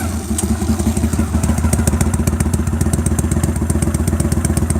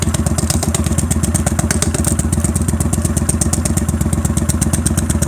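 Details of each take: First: At idle with the exhaust seam leak taped over: steady, even thumping with no chirp or tweet from the pipe; the tweeting leak sound is gone. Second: Motorcycle at idle after the tape is pulled off the exhaust seam: steady thumping with a faint, even tick on each exhaust pulse; a small leak remains, much improved, expected to go once the seam is welded all round.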